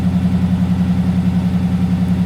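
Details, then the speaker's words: 20-foot Daimler Majestic Major Hemi V8 limo idling cold, still warming up; deep, even burble with steady firing, no knocks or misses, very smooth. Normal cold idle. "it sounds really well though very smooth got to warm up a little bit it's a very smooth engine isn't it"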